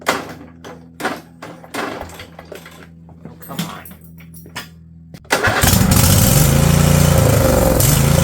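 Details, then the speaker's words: Husqvarna riding mower, Briggs & Stratton Intek V-twin, over 900 hours: several pulls and clatter, then catches and roars on choke; owner suspects plugged jets or bad float, carb to come off. "I think that just all the Jets are either completely plugged up or the float's not working cuz I choke it and it fires for another Split Second so we're going to have to pull that carb off"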